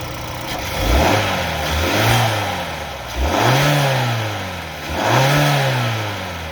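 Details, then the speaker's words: 2021-2022 Kia/Hyundai Smartstream 2.5L turbo, before the intake swap, with a flat K&N panel filter in the stock housing: three quick throttle blips whose pitch climbs and falls cleanly with no rattle or hesitation, sounding healthy. "I do have the K&N filter, the flat one that's in there right now, so I don't know if it's got any extra sound, but I'll give it a couple of revs and we'll see what it sounds like."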